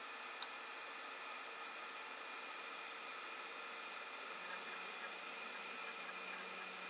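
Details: Creality Ender 5 Plus printer bed moving down about 150 mm quickly on its Z lead screws, without the earlier squeaking. Faint, steady motor hum with a soft, even whir and no squeak or chirp. Quiet Z axis.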